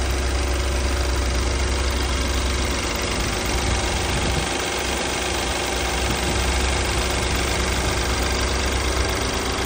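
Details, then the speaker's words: BMW 528i F10 in good condition with low mileage, before any service. Complaints are engine shaking, stumbling and an oil leak. Morning cold start is loud and rough, with a busy low rumble and fast uneven tapping; it is not loud when warm. Cause unknown. "แต่ว่าตอนตอนที่ลูกค้าขับมาเครื่องร้อนน่ะเสียงไม่ดังแบบนี้นะครับแต่พอตอนเช้าเราอุอ่าเราสตาร์ทเครื่องนะครับดังประมาณนี้นะฮะ"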